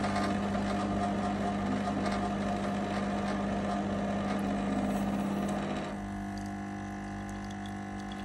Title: Lelit Mara x - strange noise